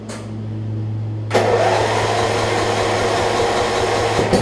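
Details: Murray rear-engine riding mower, returned with partially shredded drive belt; catches at once and settles into a steady even run; earlier valve grind holding up, runs well once warm; owner wonders if a changed spark plug causes cold issues.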